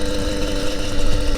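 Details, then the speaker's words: Motorized bicycle two-stroke, new B5HS plug, cleaned carburetor, adjusted needle: uneven buzzing that stumbles and cuts out once speed builds; misfire at speed, owner suspects clogged exhaust. "e mesmo assim continuou falhando Ó depois de uma velocidade e começa a atacar"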